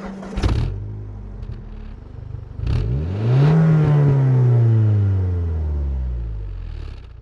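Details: 2002 Volvo V40 T4 (200 hp, 300 Nm) with factory exhaust: clean rev climbs smoothly in pitch and falls back evenly with a quiet, mellow exhaust; normal revving.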